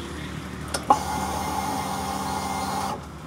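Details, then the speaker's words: New Rusi motorcycle with about 4,500 km on it that keeps running with the key off, seat removed: after a click at key-on, a steady mid-pitched electric whir runs about two seconds then stops; fuel pump priming normally and wiring OK. "Okay, so tumutunog yung ating fuel pump mga katropa. Ang ibig sabihin yan, good yung fuel pump, good yung wiring, walang problema."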